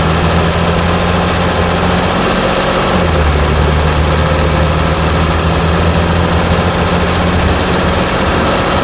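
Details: Mercedes E320 CDI S211, 3.2 V6 diesel 224hp, 250,000 km, DPF and catalyst removed, cold start after a week; low lumpy clatter with uneven pulse wavering midway; rough cold-start idle.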